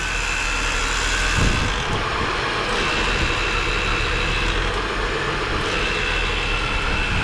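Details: Holden VY Calais skid car (Ecotec) just after an engine swap, first start after priming oil pressure, on a hoist: even, steady rumble with no knocks, ticks or stumbles through the whole clip; idling cleanly.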